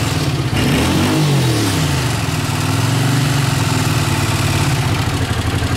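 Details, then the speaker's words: Honda CX500 twin, 30,000 miles, warm, revved on fresh gas: rises and settles smoothly with no stumble or cut-out as throttle opens, previously cut out on gas; normal revving. "so yeah it's running a lot better not doing that cutting out thing or anything big difference"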